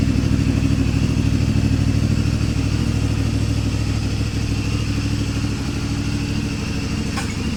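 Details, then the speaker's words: CFMoto 450 MT whose engine turned very rough at 4,767 km from a failed cam chain tensioner, fixed by the owner. After the repair: steady, even exhaust beat at idle with no top-end ticking or rattling, sounding healthy. "Perhatikan bedanya, Bro. Sekarang suara knalpot sudah terdengar lagi, Teman-teman."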